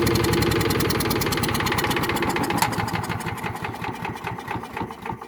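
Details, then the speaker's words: Small single-cylinder chipper/shredder engine after carburetor cleaning and bending a tab to hold the button, air filter off. It chugs steadily at a fast, even beat, fading slightly but holding. Normal running. "It runs. Pretty impressive."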